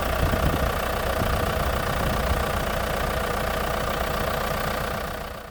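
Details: Ford Mondeo Mk3 at idle: a dull, uneven knock about three per second over the engine note. The owner first feared the worst but suspects a failed valve; the cause is not confirmed.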